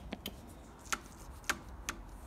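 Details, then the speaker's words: Mitsubishi electric forklift, 24 V battery left two to three years and drained to about 0 V; a few sharp dry clicks at uneven intervals with no motor whir when the levers are operated. Contactor clicking with flat battery. "oh oh yeah just stop just clicking behind it but there's"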